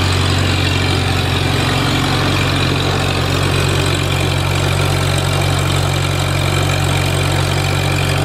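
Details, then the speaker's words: Farmall Super A tractor, newly running after ground and wire repairs restored spark, warming up: steady low thump about four beats a second, even and unbroken, no skips; smooth normal idle. "well I thought I'd let that thing warm up just a little bit"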